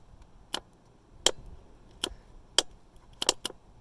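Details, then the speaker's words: 2005 Honda Rancher 350 with a no-start: starter relay removed and bench-tested with battery negative to green/red and positive to yellow/red; crisp single clicks show the relay switch activates properly. "When you do this, you should hear the relay activate."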